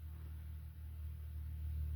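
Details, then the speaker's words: Samsung dryer after replacing all four drum rollers, new wheels on and WD40 applied: smooth, steady low hum from the drum turning, quieter and stops right away, no squeal or thumping; normal drum rotation. "Okay, so I got both the new wheels on. You see how that still is quieter, but it stops right away."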